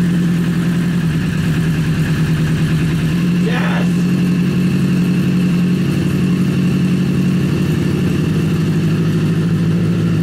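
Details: Rebuilt Honda CBR 1000 engine in a buggy, freshly reassembled after major cylinder damage, idles smoothly with an even low drone and no hunting; sounds stronger than its earlier rough idle, slight smoke from WD-40 burning off headers; normal idle.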